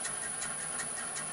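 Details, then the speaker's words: Revamped mini lathe with an inverter-driven motor, run at slow speed in reverse: faint ticks about twice a second under a thin high whine. Owner says the drive belt isn't on straight. "making a noise there. What is that? I haven't got the belt on straight."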